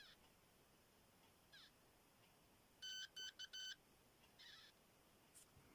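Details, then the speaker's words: Homemade continuity tester built in the late 1980s that uses tone pitch to indicate resistance, probed across a bulb filament: four short, high, choppy beeps, distinguishable from a dead short's tone. "here's what a bulb sounds like did you hear that"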